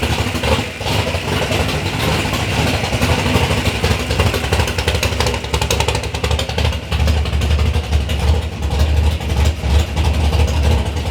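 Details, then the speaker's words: Big-block Chevy V8 in a third-gen Camaro on first start-up after a build: deep, steady low rumble with a lumpy but even beat and no knocks or ticks; idling healthy. "even after this you know we but initially we got to hear the motor run sounds good sounds healthy"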